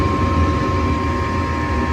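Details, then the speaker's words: Furnace calling for heat after the panel is back on: a steady low rumble with an even mid-pitched hum comes up and holds without knocks or scraping as the blower starts normally, before the igniter click. "so to my understanding the lower turns on and then the uh circuit board is going to send the signal you're going to hear another click to turn on the igniter"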